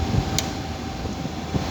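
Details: Window AC whose compressor repeatedly trips and room won't cool: low steady hum with fan rush and a few soft bumps, running with compressor on; cause of tripping unknown.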